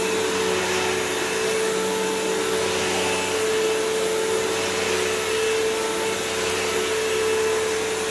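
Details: Dirt Devil Swivel Glide MVP upright vacuum with a fairly full bag, needing a belt/brushroll change (loose spin, debris in bristles): steady, even motor roar with constant mid-pitched hum, no grinding or flapping; runs normally.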